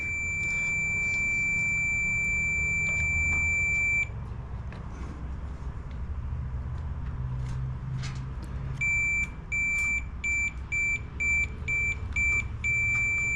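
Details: Echo PB-580T backpack blower (running rough, won't rev), continuity tester clipped across the kill switch circuit: a clear, high, steady beep, then short repeated beeps as contact is made and lost. The switch is fine, but the throttle-linked part isn't actuating it.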